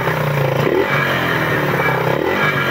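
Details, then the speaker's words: Suzuki Raider revved after fix: diesel mixed into oil to fill bearing clearances, timing chain tensioner adjusted; it used to tap when revved, now doesn't. Steady busy exhaust note, no knocking. Normal rev. "Dati pag nireb mo to lagatakan ba wala na yun wala na"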